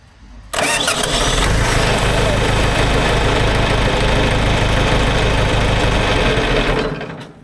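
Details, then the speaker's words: John Deere 410 backhoe diesel with newly fitted replacement starter: quick, even fast churn of about three to four strokes a second holding steady; good fast cranking, different from before. "some fast cranking, baby. Well, that sounds pretty different."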